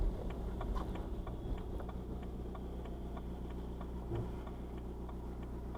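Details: BMW 1 Series E81 116d 2.0 diesel N47 D20 A, DPF removed, cold start below about 12°C. Light irregular metallic ticking and rattling over low diesel drone until warm; two garages and smoke test found nothing, suspected loose metal in exhaust.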